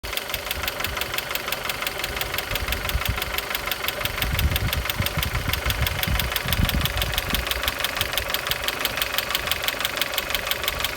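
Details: X20XEV engine knocking both cold and hot; sharp, regular tapping about three per second over the idle, a steady metallic knock from inside the engine.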